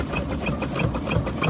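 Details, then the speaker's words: International ProStar truck, idling, during air brake test: steady repeating beep about three per second as air is fanned down to about 60 psi; low air pressure warning buzzer working. "That's my low air pressure warning alarm. You hear the buzzer now, beeping, beep, beep, beep."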